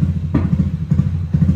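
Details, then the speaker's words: Automatic scooter, bored-up engine, BRT Juken 5++ ECU with ignition dwell zeroed at 1500 rpm: sharp pops roughly every half second over uneven, stumbling running, fuel not burning because spark doesn't fire; backfiring from zero ignition dwell. "nah ini dia bakalan meledak-ledak Kenapa karena waktu melintasiin di RPM segini dia nggak kebakar bahan bakarnya karena di sini kalau nol itu artinya api businya itu nggak nyala sama sekali"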